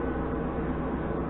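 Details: Mini lathe gear train with cover off, gears set for 13 threads per inch, bumped for a short run: even, steady whirring hum with no knocks or clicks, meshing smoothly; normal running.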